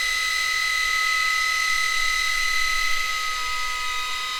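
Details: Audi 2.2 Bosch K-Jetronic, five new old-stock Bosch injectors tested by raising sensor plate idle, half, full throttle and back: steady hiss with high whistling tones shifting down as flow changes; identical spray in all five, healthy.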